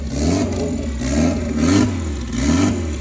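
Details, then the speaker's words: Honda Civic turbo drag build, very first fire of the freshly built engine after head gasket work: uneven firing, revs surging and sagging about once a second under held throttle; rough running because the fuel map isn't tuned yet. "that's a big step he'll work through all that stuff in the map until it's right and then she'll start just starting and found sound to normal"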